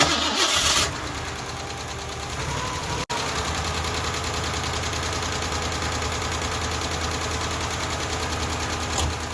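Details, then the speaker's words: Ford LTD carbureted V8, running after top-end work, catches and idles with a steady fast ticking over the rumble, about two per second; sounds bad, lifter or valve lash (top end) suspected, valve covers to be pulled. "oh yeah that sounds bad okay no i'm not i'm not i'm not gonna leave it running like that"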